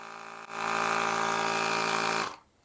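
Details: YESPER X1 7-in-1 jump pack's built-in air compressor inflating a flat lawnmower tire to 14 psi: small motor buzzes at a steady, even pitch, then shuts off cleanly; running normally.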